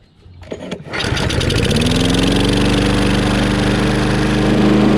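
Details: Craftsman Briggs 550EX push mower after a new plastic carburetor replacement, cold start: the pull-start catches within a second and settles into a steady, even drone without surging; the choke flap opened in under 30 seconds. It runs fine.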